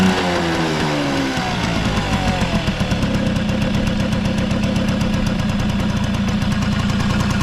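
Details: Vintage Honda Squash (AB11) 12V two-stroke, running check: once settled, a quick, even putter holds steady with no rattle, knock or abnormal noise. A quiet, healthy normal idle.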